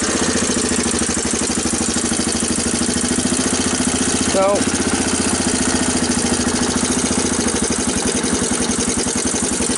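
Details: 1985 Honda TRX250 ATV, first start after purchase with a new battery, choke on, cold. Steady, quick single-cylinder thump at a fast choked idle, running fine; owner suspects it burns oil.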